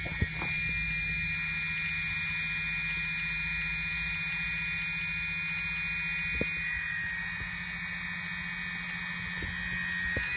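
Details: Elev-8 v2 brushless motor running: steady high whine broken by sharp clicks at uneven intervals; motor clicking, cause unknown.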